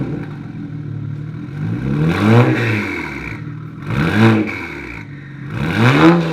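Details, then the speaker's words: BMW 335i N54 fitted with big F54 Super-TD04 twin turbos (700HP+ target): three hard revs, each with a loud whistling spool climbing in pitch and falling away. Normal turbo spool. "school that's crazy for twins that's nuts sounds like a like a n63 or something now that's wild"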